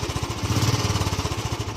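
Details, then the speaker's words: Royal Enfield at idle after replacing the carburettor flange rubber, which a mechanic had fitted upside down so it tore and leaked air: a steady, even single-cylinder thump with the earlier air-leak hiss gone, and it starts well. "तो friends अब ये start कर दिया है और इसकी आवाज़ देखिए, बिल्कुल भी आवाज़ नहीं आ रही है।"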